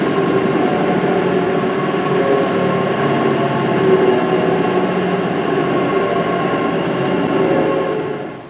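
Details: Workshop chip/dust collector before rebuild: deep rough growl with uneven throb, dying away as it spins down; major impeller imbalance and worn impeller and motor bearings, later fixed with new bearings, belts, balanced impeller, new volute.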